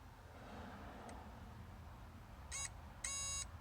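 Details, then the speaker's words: Chevy Colorado blower motor not working at any speed: power probe beeps cut in and out as the ground connector is wiggled, intermittent ground; cause is a bad ground wire/connector at the blower motor. "it is when I play with Harlan through the connector you can hear their ground it's perfect once I let go off the connector then the ground goes away"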